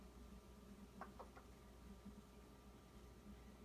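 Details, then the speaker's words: New Whirlpool WRF736SDAM refrigerator: a quiet hum with intermittent sharp knocks and clunks, lasting about an hour several times a day since delivery; the suggested fix was to muffle the evaporator sound, cause unconfirmed. "sounds like a alien is trying to get out so I'm posting this on YouTube for a warning do not buy Whirlpool"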